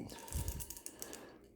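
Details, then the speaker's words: A Saab 900 turbo manual gearbox bearing, torn down, turned slowly by hand gives uneven dry clicks at five or six per second. Rollers are missing; this bearing is believed to have damaged a gear. "you know you can you can hear that clicking in it that's the roller bearings you know actually coming around the race and you know you know just tapping into each other and you know that it should not be making that noise at all"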